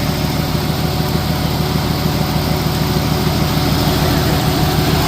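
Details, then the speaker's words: 1996 Jeep Cherokee with spark plug number 2 deliberately unplugged: a rough, lumpy idle stumbling about three times a second from one dead cylinder, a misfire OBD2 doesn't flag. "Oh yeah, it is misfiring because I unplugged spark plug number 2."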